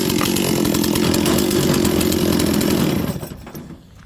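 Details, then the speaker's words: Old Stihl 036 chainsaw, starts on one pull: strong steady two-stroke buzz at even pitch, then cuts off cleanly; healthy saw. "this sauce seems very healthy and the reason why I know is look how it starts one pull"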